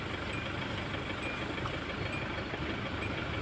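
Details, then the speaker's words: Hyundai Starex SVX diesel after injector testing and calibration for hard starting, stalling and high fuel use: steady diesel clatter at idle, even settled beat, no misses; sounds smooth and healthy. "Ayan, pakinggan natin ulit yung rev natin. Nakapalag-palag. Ganda nga ng tunog ng ngayon"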